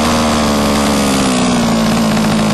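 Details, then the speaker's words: HPI Racing Baja 5B two-stroke, new, low-end carb needle set to sweet spot between too rich and too lean: steady even buzzing idle holding one pitch, no hunting or stumbling; normal idle. "You want the sweet spot in the middle."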